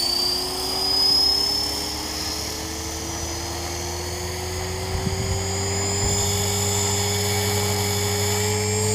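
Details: Trex 450 RC helicopter with a Common-Sense RC TR450-35 3500kv motor, 13t pinion, flown after a crash: high steady whine rising as the rotor spools up, constant squeal over the motor from a bad main shaft bearing.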